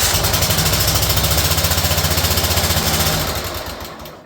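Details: Small engine such as a mower running rough: uneven chugging beat, about 220 a minute, stumbling irregularly before winding down; one cylinder not firing, to be found by pulling spark plug boots; cause not confirmed.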